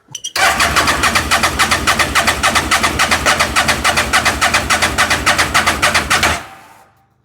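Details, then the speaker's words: Fire-damaged CF Moto Z Force 800, fuel pump primed and throttle given: starter cranks in a steady rapid chug for about six seconds, then stops; engine makes a sound but never catches; owner suspects it may need brake clean. "Well, god damn it. I mean, we're getting closer. It did make a sound."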